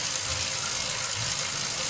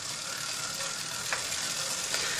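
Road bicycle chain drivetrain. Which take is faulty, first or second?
first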